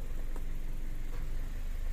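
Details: Car that stalled while driving, before test drive with aircon on: even low idle, steady beat, no knocks or squeals, holding smoothly under AC load; normal idle.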